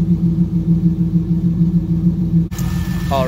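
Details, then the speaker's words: Corvette Z06 just after replacing valve springs and pushrods, first start before heat cycles: steady cold idle with a light, even tick about three per second; valves slightly loud from much stronger springs, engine otherwise running well. "so it sounds pretty darn good the valves are a little bit loud but that's just because the springs are a lot stronger and it's making the valve smack onto the top of the head"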